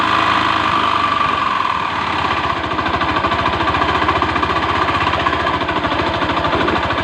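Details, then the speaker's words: Honda Beat FI scooter, noisy rough engine first suspected at the CVT/roller housing: loud running with fast steady metallic clatter; worn crankshaft main bearing, vibration worse at low and high rpm, fixed with original block and piston kit. "berarti sumber masalahnya ada di pagar kruk as-nya Ya udah koplak jadi getarannya semakin besar ya di RPM rendah dan RPM tinggi"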